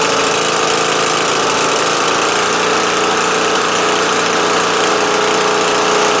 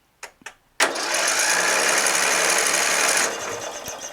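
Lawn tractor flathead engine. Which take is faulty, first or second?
second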